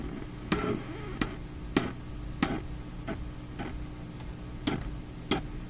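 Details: Philips Sonate BA581A tube radio: sharp irregular crackles every half second to second over a low hum, popping when parts are touched; intermittent fault not yet isolated, owner suspects his own work.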